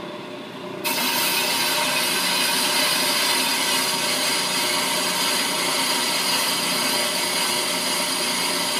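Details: Ammco brake lathe, speed set to four for demonstration, cutting a brake drum: harsh, steady scraping hiss starts suddenly when the bit meets the spinning drum and holds even; normal lathe cut.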